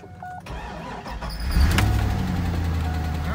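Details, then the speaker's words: 2003 C5 Corvette V8, first start after sitting over five years on old fuel: cranks briefly, catches and settles into a steady, quiet, even idle with good fuel pressure, no knocks or misses. "Got good fuel pressure, and it sounds good. Nice quiet engine. I'm surprised. It actually is running pretty good on that fuel."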